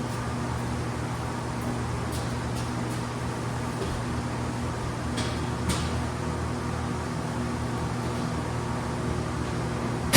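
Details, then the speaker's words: 1931 Ford Model A Victoria, first start after a six-month in-frame camshaft and tappet replacement following a broken valve lifter: a low, even idle with a steady beat and no valvetrain tapping. It sounds like it always did; the carburettor may need adjusting. "oh that sounds like it always did I guess I'll adjust the carburetor"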